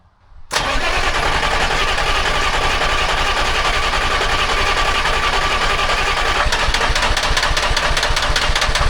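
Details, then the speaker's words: Telehandler swapped from John Deere to Detroit Diesel 3-53 two-stroke, suspected algae in fuel, cold start after sitting overnight at about 60-70°F: catches abruptly, loud buzzy uneven pulsing, needed throttle to idle, smoking; hard cold start, cause unclear. "Well, it started with no ether, but I had to give it throttle, which is bizarre. I almost didn't think it was going to idle by itself."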